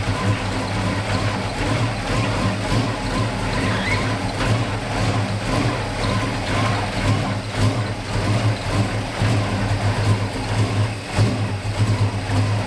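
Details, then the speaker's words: 1969 Dodge Charger V8 that sat 34 years, post cam swap, likely still on break-in oil, timing never dialed in, carburetor acting weird: lopes and stumbles unevenly when revved, firing never settling into a clean beat; runs rough, owner suspects carb and timing. "here it's trying its best something's weird with the carburetor uh I never really dialed in the timing"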